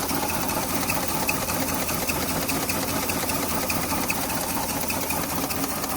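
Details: Maruti 800 petrol car with AC idling unevenly, stumbling beat and irregular light ticks: misfire at idle.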